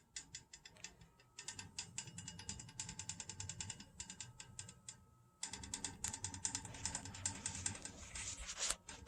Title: Pressure reducing valve (PRV) noise. Tapping/knocking noise in old house pipes/plumbing system.